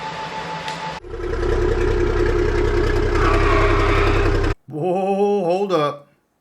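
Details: 5-ton crew cab truck build, finally running: steady, even diesel idle with a deep, smooth exhaust note and no leak puffing or ticking; healthy idle.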